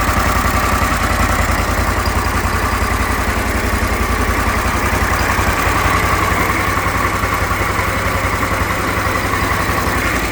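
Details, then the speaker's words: Briggs Vanguard repower in a Kawasaki Mule, restarted to check for earlier smoke, weak battery cables: an even, steady thumping idle of about 3.5 beats a second with no misses or knocks; it runs good, nothing unreasonable. "Hoisted by crappy battery cables again. She runs good. It's not doing anything unreasonable."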